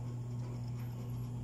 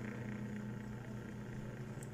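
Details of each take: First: Dowell electric fan motor after adding a washer to replace the worn thrust washer and take up shaft end-play: smooth, even low hum, no rattle or wobble; the former rattle is gone, running normally. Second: Dowell electric fan motor before repair: low hum with a buzzy rattle that gets very loud at night, because the thrust washer is worn away and the shaft has large end-play clearance; bushings and shaft still good, to be fixed by adding a washer.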